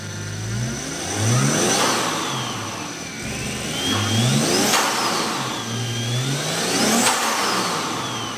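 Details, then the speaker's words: Toyota Aristo turbo six after new 4-inch downpipe, recirculated wastegate dump and heat blankets fitted, valved exhaust; smooth even rev pulls with rising turbo whistle, settling back cleanly; normal revving. "runs. Sounds good. The valved exhaust is great. It's super quiet when it's closed."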